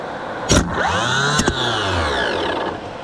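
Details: 1984 Nissan Diesel CKA50BT tractor truck (RD8 14.3 L V8 diesel) 24 V starter on bench with no load, after cleaning seized brushes and armature: clean whirring spin-up and smooth wind-down, two sharp clunks as the drive engages; healthy starter.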